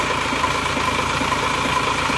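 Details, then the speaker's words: Diesel after engine rebuild, new timing gear and injector nozzles, compression good; idle uneven, beat wandering and lumpy; nozzles fine, injection pump still needs servicing and adjusting; rough idle from injection pump out of adjustment. "enak ini Bos pomnya dari bos pomnya seperti saya seperti ini enggak enak kurang rata jadi masih perlu diratakan lagi ya"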